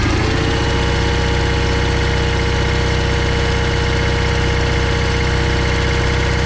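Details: John Deere 318 lawn tractor, twin engine started by jumping power to starter with key on after no-crank fault traced to a safety switch; catches and settles into steady even beat, no knocks or misses; normal running.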